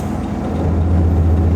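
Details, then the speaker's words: 2004 Ford Mustang Mach 1 turbo on a cold start, idling with the exhaust cutout opened (otherwise turbo into two Flowmaster 40 series mufflers), mic in the cab: deep, even rumble swelling and holding steady, no knocks or misses; healthy, much louder. "oh yeah huge difference just rumbles in the cab hopefully you guys can hear it"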